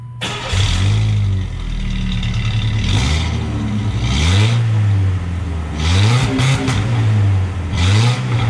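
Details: Truck startup after the muffler replacement, cat already removed; owner thinks it may be overheating. Deep, even exhaust note swelling cleanly through revs with no ticking or leak puffs; sounds much better.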